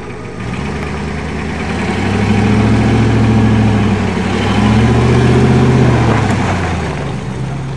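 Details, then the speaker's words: Ford F-250 diesel, not started for a year, bump-started by towing with a Dodge: steady, even diesel clatter at about four pulses a second, no knocks or misses; idling smoothly. "First time even though he's used to drive and he's used to driving forwards and it's running actually beautiful."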